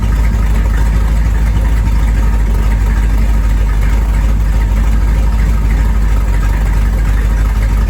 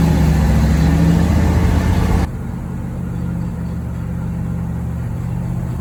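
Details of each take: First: 1973 Corvette V8, first drive in 5 years: deep even rumble, steady lumpy beat, no knocks or rattles; normal running. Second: 1973 Corvette V8, first drive in 5 years, shakedown: loud rough droning growl that falls away sharply; power steering pulley wiggles loose and pump possibly dry, no power steering assist.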